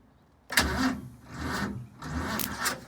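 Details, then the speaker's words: Boat truck start attempt after tightening the battery terminal: three uneven bursts of cranking and sputter, each dying with no catch; cranks but won't start, owner suspects water in the engine or a low battery. "I've tightened the battery terminal, but something doesn't seem happy. Either we got water in the engine or the battery's not charged up or whatever."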